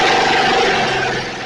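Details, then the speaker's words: Snapper 28" riding mower, 12.5 hp Briggs & Stratton single-cylinder, hard-starting: running after coil grounded with a screwdriver at the kill ground wire location; steady, fast, even beat with no misses, keeps running fine. "Okay, so it started, and what I did is I reached into where this ground wire would have been, and I ground out the coil with my screwdriver."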